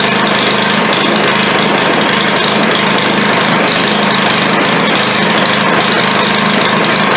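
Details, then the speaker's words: Craftsman 140cc edger engine, first run after finding intake valve far too tight and resetting valves, oil blown out exhaust, plug not yet changed: loud, uneven ragged buzzing, stumbling about three to four beats per second; rough running, cause suspected. "all right it runs runs like hammered but it runs"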